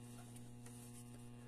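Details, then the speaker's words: Zenith 6-S-229 antique tube radio brought up slowly on an isolation variac with a current-limiting bulb, at 80 volts: steady low buzzy hum, unchanging, from bad electrolytic filter capacitors letting mains ripple through. "today we're up to 80 volts and you hear that hum that that's your electrolytic capacity is homie right now"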